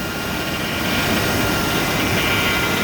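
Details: 2000 GMC Yukon Denali engine running after replacing the belt tensioner that chattered from a vibrating pulley: steady, even hum with no rattle or chatter from the belt side; accessory drive sounds normal.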